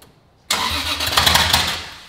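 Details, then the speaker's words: Toyota Supra's first start after rebuild with no exhaust housing, injectors enabled: the starter cranks with loud, ragged popping that never catches. Mistimed ignition, traced to a sensor left unplugged, so it misfired and failed to start. "it sounds like the ignition is not happening at the right time that's where I'm going to l"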